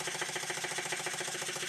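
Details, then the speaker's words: Stuart beam model engine run on steam or air, valve timing wrong: sharp regular knock about seven times a second under the hiss, from parts not cushioned at stroke ends and a loose crank pin in the crank web. "The knocking that you can hear is partly due to the fact of the valve being in the wrong place. The parts are not being cushioned at the end of each stroke, so you get this"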